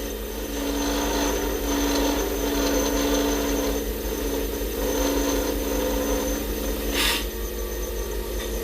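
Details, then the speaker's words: Lathe turning acrylic for pen making: steady hum under a rough scraping cut with a fast rattling chatter from feeding too fast. "you hear that rattle? That means I was going a little too fast."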